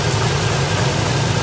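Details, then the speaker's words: 2008 Pontiac G8 (Holden Commodore) idling after a broken cooling-fan blade was replaced, fans switched on: even, steady low idle with a smooth rumble, no knocks or squeals, fans inaudible; normal idle after repair. "Can't even hear them. All right, cool. Success."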